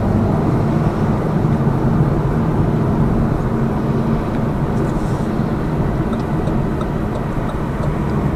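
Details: Lada Vesta Cross with AMT 2.0 robot gearbox, fully loaded, on rough road; head-mounted action camera. Steady road and engine hum, no thumps or knocks over bumps; suspension knock gone after shock absorber strut replacement.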